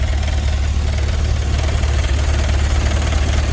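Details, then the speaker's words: GMC with a 6.0 V8 warming up after a cold start: a light, fast rattle like a fan hitting something over the idle, from the faulty electronic throttle body, which is setting throttle position correlation codes. "almost sounds like a fan hitting something but it's not that's in the throttle body itself"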